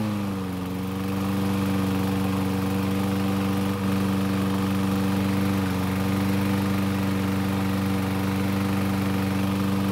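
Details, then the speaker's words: Troy-Bilt mower after repairing gasoline and oil leaks and cleaning the wheels, started with a single pull: small engine runs steady with a light rapid ticking as the starter pawls contact the flywheel posts. "but it's not all good as you can hear the starter poles are making contact with the flywheel posts which sounds terrible"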